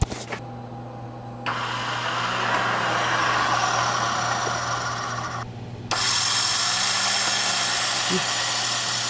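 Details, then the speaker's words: 1968 Honda CL450 twin, key on, electric start: high, steady starter whir spinning freely with no cranking beat from the engine. Starter clutch is slipping; it will be disassembled and repaired. "can hear the starter turning but it's not turning over the engine so we're gonna have to take this apart and get it fixed"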